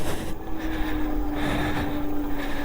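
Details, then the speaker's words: Engwe M20 e-bike, 48V 750W (1000W peak) rear hub motor, dual battery, on a steep hill at pedal assist 5 using throttle only: steady whine near 300 Hz under heavy load with road rumble, slowing to a stop; hub motor underpowered on climbs. "Definitely a slightly underpowered hub motor, but for some of these big hills around here, might need to pedal it a little bit."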